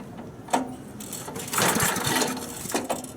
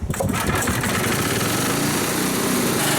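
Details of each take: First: 1964 Snowbird S.263 snow remover, cold start outside with choke forgotten off: repeated rope pulls, short churning bursts that die without catching; fired first pull once choked. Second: 1964 Snowbird S.263 snow remover, single-cylinder, just started cold on choke after kill-wire fix: steady even chugging, slight hunting at first until warmed up, normal.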